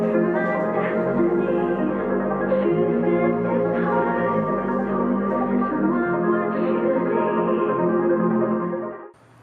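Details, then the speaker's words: JBL JRX200 speaker bought secondhand, playing music: full and bassy but dull, crisp top end missing entirely; blown tweeter. "it sounds okay it's very bass heavy but there's not much on the top end of the audio spectrum"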